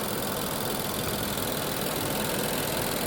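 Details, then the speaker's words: 2020 Infiniti QX60, 95,882 miles, oil consumption history, P0300/P0304 misfire on cylinder 4 resolved after replacing its fouled plug: quiet, even idle with steady rpm, no stumble; runs smoothly on all cylinders. "Running smooth now. It's misfiring. And the RPM is steady too."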